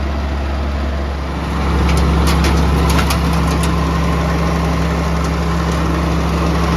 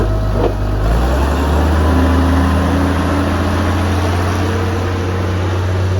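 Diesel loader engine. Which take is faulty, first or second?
second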